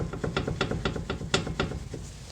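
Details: Chevy Cruze front right lower control arm: a run of dull, woody clunks about four a second as the wheel is rocked by hand, from play in the worn arm, which is being replaced.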